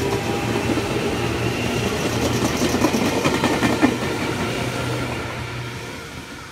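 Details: Meitetsu 6000+6800 series train (6030F+6812F), a local service bound for Higashi-Okazaki, pulling away from Yobitsugi station with many repeating thumps from flat spots on its wheels.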